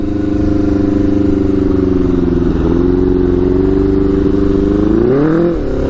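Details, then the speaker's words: Custom Yamaha Banshee with Suzuki Katana 600cc engine after Stage 4 rejet, first test ride, possibly not fully warmed: flat droning note that won't pull cleanly, brief surge and sag; runs worse than before. "all right i think that's actually worse i don't know ah i don't know how that's actually worse that's crazy"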